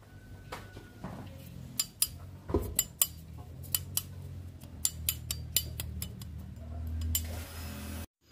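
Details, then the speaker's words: Honda Beat scooter with a squeal from the CVT when throttled: metal taps on the automatic clutch bell give a dull, rattly ring; loose rivets on the bell's protective plate, to be fixed with super glue and baking soda. "nah suara nyericit itu ditimbulkan dari mangkokan kopling otomatis tadi ya itu dibagian mangkoknya sama di bagian plat pelindungnya longgar panteknya longgar"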